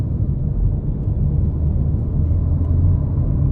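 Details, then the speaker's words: 2018 Ferrari Portofino cabin while driving, after dashboard air ducts treated with 5 mm sound-absorbing material and bolts tightened, plastic panel damped and anti-squeak added: steady low road and engine rumble, no dashboard rattle. "Теперь воздуховоды не дребежат."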